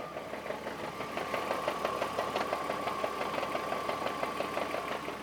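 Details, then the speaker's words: BMW 330Ci with M54 engine at idle: a steady, even knocking about three per second appears when the clutch is released and stops when it is pressed. A failing dual mass flywheel is suspected. "clutches in at the moment and we just release the clutch you hear this horrible noise"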